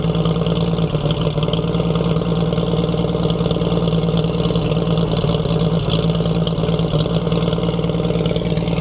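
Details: 1942 Chevrolet Blitz CMP 4WD truck, 216 petrol straight-six: steady low idle with rough gravelly drone over it; owner points out water pump noise, later boils and steams, pump seemingly not pumping.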